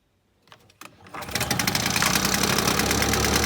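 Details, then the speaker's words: Victa two-stroke lawnmower after service (new spark plug; earlier fuel cap, needle and primer bulb): fires after a couple of pulls and rises to crisp even buzz with no misses; hard starting fixed. "here we now have a good looking mower which is easy to start and we'll start first pull every time"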